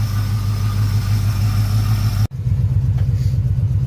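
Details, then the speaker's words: 1985 Chevy Suburban V8, carbureted, sat 4 years, started on carburetor cleaner with shot battery, power steering pump low on fluid; deep steady burble at idle, even rhythm, no tapping or stumbling; normal idle. "That's about it. It's pretty good. Pretty good. Pretty good."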